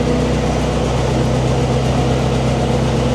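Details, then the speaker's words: Ford Model T four-cylinder running on a lift after sitting for years, rear wheels spinning, after fuel mixture adjustment: steady, even low rumble with no misses, knocks or stumbles; runs smoothly. "I would say that's four cylinder running pretty good"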